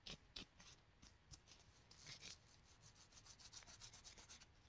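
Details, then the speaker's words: Honda CRF250R wheel bearing, removed with a slide hammer during hub disassembly and turned by hand: dry, gritty, uneven rasping from a crusty, worn bearing. "krusty yeah that's a crusty old bearing there you can hear it"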